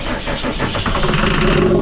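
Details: Cummins diesel Snap-On truck that hadn't run in 10 years, injector lines cracked to bleed air: starter grinds steadily but it never fires; injection pump suspected.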